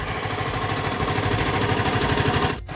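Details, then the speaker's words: Yamaha Vixion (old model) daily bike idling after new water pump seal and bearing fitted, coolant being topped up as pump circulates; smooth, quick, even single-cylinder beat with no knocks or rattles: normal idle. "Dan ya bisa didengar, ini udah halus banget. Mantap."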